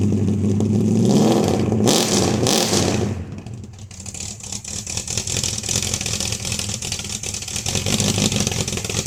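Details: 1971 Dodge Dart 318 with a hard-start problem, after the choke was finally set right: engine picks up crisply on a blip, then drops back to a steady idle without stumbling; normal revving and idle.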